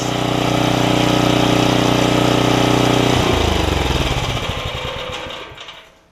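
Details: Snapper tiller, 5 hp Briggs, after fixing stuck valve, pull rope bearings and carb diaphragm: runs smooth and even at steady speed, then cuts cleanly on the now-working kill switch and coasts down; healthy.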